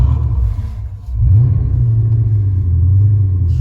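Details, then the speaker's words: 1982 Porsche 928, dirty, started with throttle nursed: deep V8 rumble that dips and sags then recovers and wanders, drifting and then stopping; hunting idle, cause not identified. "So that's idle drift. It drifts and then stops. So that's the way it's idling right now."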